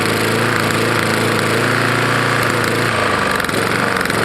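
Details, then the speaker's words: Roadside-found Lawn-Boy mower, 149 cc non-OHV single-cylinder: hard metallic rap on each firing stroke; owner suspects a bad lower end or piston hitting the head, possibly from dirt and grass drawn in; unconfirmed. "it sounds like it's hitting the head probably is"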